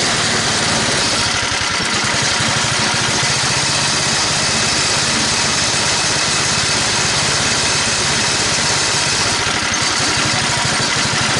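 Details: Toro 824 snowblower after carburetor replacement (was stalling, hard to start, wouldn't stay running; suspected sticking float): fires up and runs steady and even, no surging or stalling, through all gears with auger running. Normal running.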